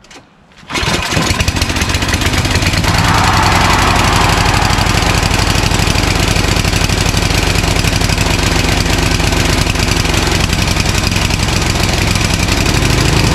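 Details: Craftsman 29" snowblower, 9HP Tecumseh single-cylinder, long unused, first pull on choke at full throttle: loud and uneven, speed hunting up and down; dirty carburetor suspected.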